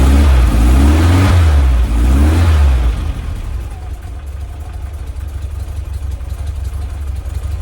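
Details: 1967 VW Splitscreen air-cooled flat-four after service: blips up and settles to steady even idle, no popping; earlier backfire gone.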